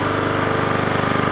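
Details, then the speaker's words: Troy-Bilt pressure washer, small engine that reportedly would not fire, first start after cleanup with a pull: quick, even, steady firing beat with no misses, knocks or rattles; running smoothly and fairly quietly. "how good it sounds first is like a kitten then it's not very loud actually"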